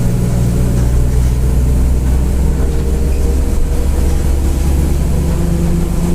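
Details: Grande Londrina 1110 Torino 2007 Mercedes-Benz OF-1722M bus, line 505 Expresso Vivi Xavier, Feb 2023, cruising: steady low droning roar at even pitch over the diesel, rear differential roaring loudly (worn differential whine).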